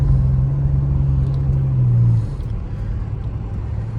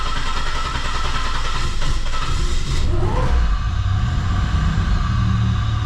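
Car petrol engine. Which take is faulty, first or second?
second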